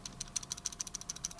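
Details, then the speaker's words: Cloupor Mini Plus 50W TC box mod shaken in hand: fast, light, high-pitched clicking about ten per second from loose buttons in the housing; button rattle, fixable by disassembly. "button rattle. Now you can solve button rattle and stuff by opening it and taking it apart."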